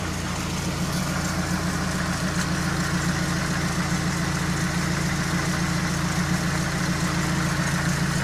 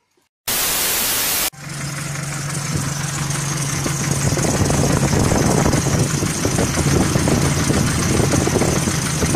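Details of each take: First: GAZelle van with a ZMZ 405 petrol engine that had started knocking, after repair with the timing set precisely (lifters checked OK): now idles with a smooth, even hum and no knocking. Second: GAZelle van, ZMZ 405 petrol engine suddenly knocking at idle: hard, uneven metallic knock; hydraulic lifters checked under valve cover and found fine; foreign object fragment in cylinder hitting the piston.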